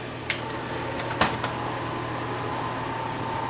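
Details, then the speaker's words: Samsung SV-5000 multi-system PAL/NTSC VHS VCR brought in for service, top off: steady motor whir with thin constant tone and a few clicks, head drum turns but nothing loads; mechanism not engaging. "a grinding sound or a motor running sound and the head drum turns and that's all it does"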